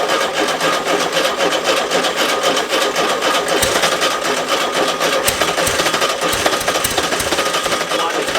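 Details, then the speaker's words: VW Type 3 air-cooled flat-four, first start of a marketplace engine: racing high fast idle with a hissy intake note because the back carburetor port was left open; high idle from vacuum leak. "I forgot the back of the carburetor the uh that's just open air leaves that's why it was revving high oh big vacuum"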